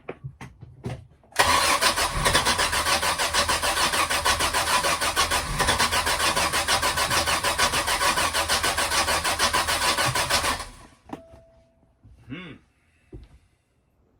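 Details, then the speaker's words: Sea Ray boat after winter, hard to start: long even cranking about three turns a second for nine seconds, never catching; carb jets checked, spark plugs came out wet and ugly, owner thinks cylinders are flooded. "I'm thinking the cylinders are just flooded but to find out pull them all out time to crank it let's find out"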